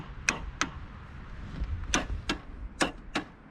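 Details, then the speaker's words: Yamaha Moto 4 ATV sat over 20 years, on booster pack reading about 6 volts, neutral light on; several sharp uneven clicks, no cranking; owner suspects locked-up motor or bad ground, rust on spark plug. Starter relay clicking, not cranking. "clicks and I can hear the starter engaging this motor might be locked up"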